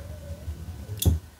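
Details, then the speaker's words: Mecpow X3 Pro 10W laser engraver during assembly: faint low motor hum then one sharp click as the laser head reaches its end stop; the on/off limit switch works normally. "et donc en effet on entend le petit clic-clac du bouton ON OFF qui s'arrête quand la tête de laser est juste là"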